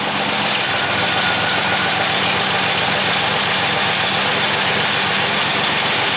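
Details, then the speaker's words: 1963 Buick Special project car, started with just the key, no pedal or added fuel, after a week unstarted: smooth, steady idle with an even hiss and low hum, no knocks, misses or hunting; normal idle. "I didn't hit the pedal. I didn't put gas in it. Nothing. I just hit the key and she fired right up. And it hasn't been started for a week."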